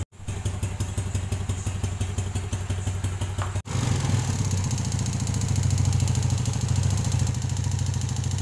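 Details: Yamaha Jupiter Z new single-cylinder engine, rebuilt a month earlier with an oversize piston, owner chasing a ticking noise: even, steady idle with a smooth low thump and no ticking; the top end sounds healthy.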